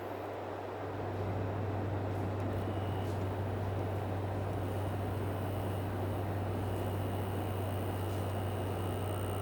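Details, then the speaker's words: Air conditioner reassembled from scrap, washed off, running with fan turned up: steady even compressor hum and smooth fan rush, no knocks or rattles; blowing nice and cool, normal running. "every bill nice and cool you hear the compressor running turn the fan up"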